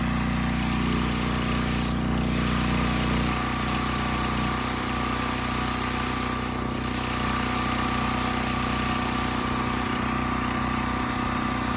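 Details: Westinghouse 7,000-watt generator after carburetor cleaning, under 3000-watt load: steady, even drone with no hunting or misfire at correct speed. Multimeter confirms frequency around 60 Hz target; Kill-A-Watt meter jumps to 75–80 Hz.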